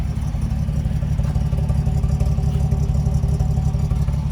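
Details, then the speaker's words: Unrestored 1969 Toyota FJ40 Land Cruiser, 28,967 miles, running stone cold in neutral without choke. Valve adjustment and exhaust leak previously fixed. Steady, even low four-cylinder rumble with a tight beat and no misses or ticks; it runs smoothly. "This hums along. When I bought it, it had needed a valve adjustment, had the exhaust leak, and all that kind of stuff. So now she's just tight and smooth. Great running truck."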